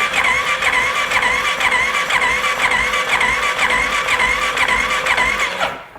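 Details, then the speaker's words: 2015 Polaris Sportsman 570 EFI, said to have a blown motor and left outside for years, cranking during a compression test: an even, unlabored starter chirp about twice a second. It reads 50 to almost 60 psi, possibly with a cam decompression mechanism, which is acceptable. "yeah it's about about almost 60 PSI so I think we're pretty good there doesn't sound bad"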